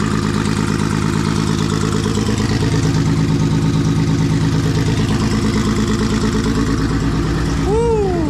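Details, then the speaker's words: Rebuilt Nissan RB20 with Kelford cams and Garrett G30 turbo, first start, warming up: loud lumpy uneven idle, running on five cylinders; cylinder five not firing, found by pulling injector plugs. "So, I don't know if you can hear it, but it's actually only running on five cylinders. Um so, I pulled each injector plug off. Found it was cylinder five not firing."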